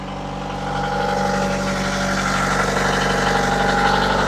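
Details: Diesel, unrun for a while, in forward gear, revved up to 1500 rpm while warming: even, steady drone with a smooth rhythm and no knocks or misses. Normal running at 1500 rpm.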